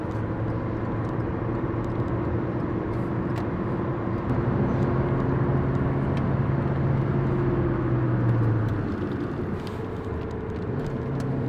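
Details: 2015 Hyundai i20 1.2 at 222,000 km on pre-repair test drive in town: under road noise a steady low drone swells and eases with road speed, wheel bearing noise; mechanic suspects a bent wheel, slight vibration above 120 km/h.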